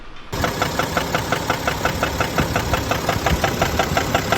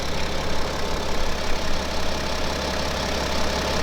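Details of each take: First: BMW X5 F15 with N57D30 313 HP diesel at idle, in the owner's clip; steady deep knock about twice a second from the bottom of the engine; later found spun main bearings and a connecting rod bearing, i.e. rod bearing knock. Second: BMW X5 F15 with second-hand N57D30 313 hp diesel replacing one with spun main and rod bearings, almost cold, only a sensor fault code before the catalytic converter: deep, even idle with light regular clatter, no misfire or knock; runs smooth.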